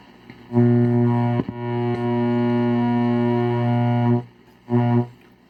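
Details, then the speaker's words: 1970s Zenith console radio switched to AM, no antenna: strong steady low hum with even overtones, briefly dropping out; cause unknown, owner suspects interference from somewhere. "Lots of humming there. That could be interference from somewhere."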